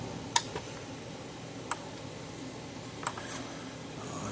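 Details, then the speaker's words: Zareba 3-mile 0.5-joule solar fence charger after repair (transformer from a bigger unit, primary/secondary wires reversed), now putting out 10,000 volts: sharp, evenly spaced ticks about every 1.3 seconds, normal pulsing. "put our wires across this and this and we're getting 10,000 volts"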